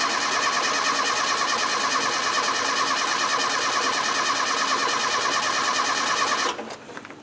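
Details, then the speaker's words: Land Rover 90 petrol engine cranks steadily for six seconds without catching; fuel confirmed reaching the carburettor, old sliding-type ignition points suspected dirty, giving no spark. "now why won't it start well I think the move the camera will do some Diagnostics right we know for a fact that there's petrol getting to the carburetor but these old points have been in quite a while"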